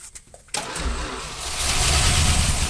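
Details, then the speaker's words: 1967 Plymouth Fury barn find, sitting 42 years, on jump box with gasoline poured down the carburetor: brief cranking, catches within half a second and runs rough and uneven with a little smoke; first start after long storage. "holy crap I was not expecting it to start that fast all right let's give her some more gas some more gas down the carburetor he's running a little bit of smoke look at that first round of 42 years"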